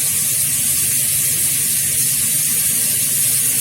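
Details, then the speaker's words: Double-circuit gas boiler turbine fan after removing it and cleaning off the accumulated dirt that made it hum: steady even air rush and burner hiss, quiet with no growl as before; normal fan operation. "После этого вы слышите, что вентилятор работает тихо, не рычит, как раньше, а это значит, что мы всё сделали правильно."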